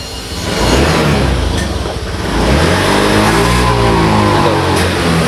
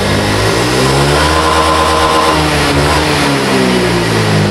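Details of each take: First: Honda Vario FI scooter with heavy pull that feels held back: revs climb sluggishly, then suddenly drop while the throttle is held open, audible at the exhaust. Loss of power from a faulty throttle position sensor. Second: Honda Vario FI scooter with heavy pull and power loss at high rpm, caused by a faulty TP sensor: test revs rise and fall smoothly with no stumble or flat spot; normal revving after repair.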